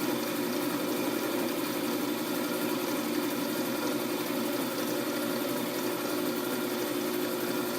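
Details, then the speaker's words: Wood lathe turning a spinning top: a steady mid-pitched hum with a faint wavering buzz as the workpiece vibrates in the chuck during light cuts at the end; the plan is to clean it up with sandpaper. "You can hear the vibration. I think I'm going to try to clean that up."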